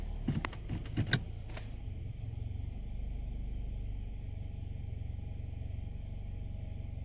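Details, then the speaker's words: 2015 Nissan Altima 2.5 idling in Drive after repair (codes P0014, P0300); low even idle, no shaking, no misfire, no rough idle. "it's not shaking no more no misfire no idle is not rough no more"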